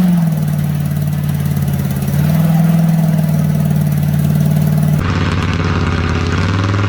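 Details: Fire-damaged diesel Oldsmobile 98 just started after many attempts, idling low and lumpy with uneven beats and a wandering note; rough idle, owner suspects exhaust is being sent up through the intake.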